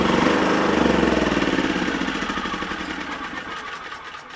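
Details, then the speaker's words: Wolf generator, serviced with fresh oil, getting low on fuel: pulsing beat of about three to four surges a second, sagging steadily, hunting as it starves for fuel. "now it might be get a little bit low on fuel just make a bit of a funny noise"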